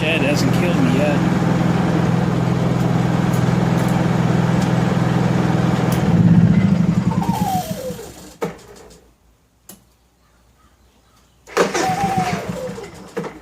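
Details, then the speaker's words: Honda EU3000iS generator during restoration, after a new recoil rope; started on choke, steady even drone with no skipping or grinding, 124 volts at no load, running in a shed, then cuts out cleanly; normal running. "fire in the hole please work and a starter sounded great that's wow i'm impressed thing fired right up sounds good listen to it"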